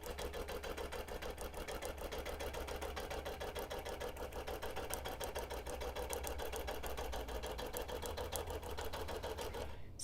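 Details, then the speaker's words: Quilting machine freehand basting a quarter-inch stitch across the top of a wholecloth baby quilt: fast, even stitching chatter over a steady low motor hum, with no catches or knocks. Normal stitching. "I'm just freehanding it across the top I'm using a/ quarter inch basting stitch it doesn't really matter what kind of stitch you use"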